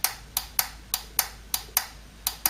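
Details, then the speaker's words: Ford Cortina restoration, A4LDe automatic gearbox wiring harness build: bench test applying 12 volts to the transmission solenoid before sealing the plug. Sharp, crisp clicks, about nine in under three seconds, against a quiet room; the solenoid actuates normally. Ground must be on the correct side because of an internal diode. "I'm just testing that the solenoid works you'll hear a click as I connect 12 volts to the solenoid"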